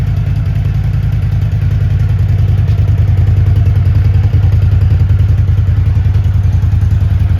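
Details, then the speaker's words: 1983 Honda GL650 Silverwing Interstate, an Ohio barn find after a total restoration, cold idle: firm, steady low-pitched idle with a quick, even beat and no ticks or knocks. A tight, rock-solid, healthy engine. "Cold start. Nice, tight, rock solid engine. Plenty of power, doesn't leak or drop anything."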